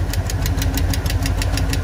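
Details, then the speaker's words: Squarebody Chevy C20 at idle, valve cover off: sharp regular ticking about six times a second over low rumble from a clattering rocker arm beside one that isn't moving; valve train clatter, pushrods to be checked, cause unconfirmed. "right here this rock arm isn't moving and this one's one that's that's clattering"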